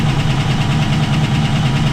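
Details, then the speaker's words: Cold V8 on a chilly day with link-bar lifters, 1/16-inch-longer pushrods and readjusted rockers, just started after a month: light quick ticking over a steady rumble, quieter but still present before oil reaches the top. "doesn't doesn't seem as loud of a but it's still there obviously but the oil hasn't really got up in there it's kind of chilly today"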